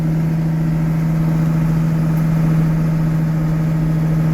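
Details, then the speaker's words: Deutz DX tractor (DX 8.30 / DX 6.30, 1985-era, partial powershift) diesel pulling in high gear and throttled up; smooth, even low hum with engine growl, no misses, knocks or smoke, runs good. "You can hear the engine growl once. Submit. There we go in the high gear. Okay, no smoke if I throttle her up. I mean, runs good."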